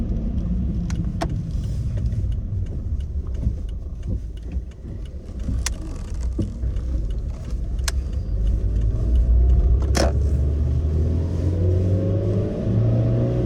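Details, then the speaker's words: Suzuki Swift Sport ZC31S, over 10 years old: sharp irregular front clunks over road rumble while driving, worst from acceleration into low-speed cruise and on deceleration. Garage found worn upper strut mount bearings on both front sides; replaced upper mount sets and stabilizer links with genuine parts. "後日、整備工場に持ち込んだ結果はアッパーマウントのベアリング劣化による型でした。"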